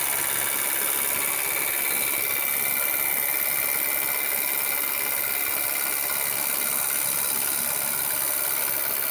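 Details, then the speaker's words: Cold, not yet warmed-up Renault Megane 2 idling on LPG, Valtec gas injectors about 500 km after installation, heard clearly inside the cabin: fast crisp metallic ticking about twice a second; injectors chatter, running like a diesel, cause still unknown. "Машинка холодная, еще не прогретая. И вот мы начинаем слушать работу. То есть явно даже в салоне очень слышно звук форсунок."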